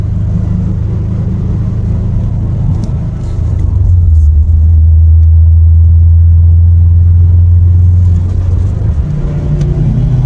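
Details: Subaru WRX after wheel bearing replacement: steady low road rumble swelling as the car gains speed, no growl or hum from the wheels; noise gone, normal road noise.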